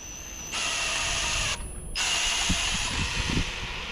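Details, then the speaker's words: Pontiac 455 V8, oil system primed with a drill through the distributor hole (HEI removed): high drill whine holds steady and bogs under load as the pump builds resistance; priming working normally. "You should start to feel some resistance when the oil system's priming itself. You hear it? The drill motor kind of, yeah, it's working hard."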